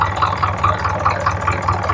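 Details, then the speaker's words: Isuzu 4HL1 fully electronic diesel after repair with parts refitted and timing reset, started on first click: even clatter, regular firing about five pulses a second, no heavy knock or rattle; previous loud knocking gone, normal healthy idle. "So yan guys ang ganda ng andar niya. Matining, walang kalansing, hindi maingay."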